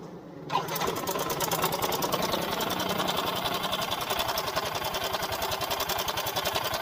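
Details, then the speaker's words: Yamaha Mio M3 125 scooter idling, running rough, with the CVT checked as fine: fast, light metallic clicking clatter from the engine; the cam chain tensioner seems weak, leaving a slack cam chain. Cam chain rattle. "Nah ada suara ceklek ceklek gitu bro Nah dengan tuh nah ini yang bikin kasar"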